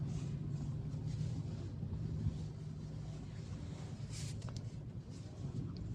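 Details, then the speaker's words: Ford EcoSport after repair of a steering noise heard when turning the wheel (suspected tie-rod end, ball joint or rack): engine idles steadily while steering is turned, no clunks or knocks; noise fixed. "Okay. Steering आवाज बंद हो गई है। बिल्कुल। अब आया आवाज ठीक है भाई यह सारी ओके हो गई आवाज बिलकुल नहीं है अब यह फाल्ट था गाड़ी सेट है अब आवाज"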